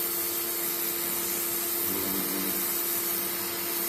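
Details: Greenworks 1704 electric pressure washer that had stopped working, tested after repair work: even motor hum with spraying hiss, no surging or cutting out; running normally.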